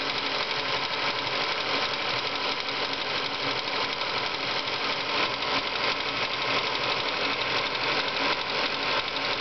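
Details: Ford Focus idling: light, quick ticking about three per second steadily over the idle; owner suspects water pump or worn bearing, not confirmed.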